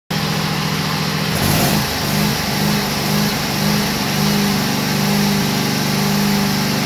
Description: Briggs & Stratton Vanguard 16hp falujące wysokie obroty